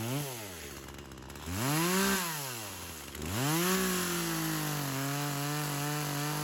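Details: Craftsman chainsaw, unknown model, that sat for years, first run: two-stroke revs up and sags repeatedly, pitch dropping and recovering unevenly while cutting wood. Engagement problem under load, more fuel added; owner suspects a slightly stuck ring, cause unconfirmed.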